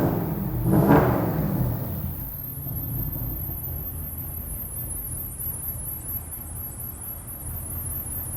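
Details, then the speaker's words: BMW X6M V8 idles unevenly with a loping beat and irregular low thumps, with a check engine light and the engine near limp mode; rough idle from massive vacuum leaks and other problems. "it's not how I swapped it's not cammed it's just a massive vacuum leaks and other problems"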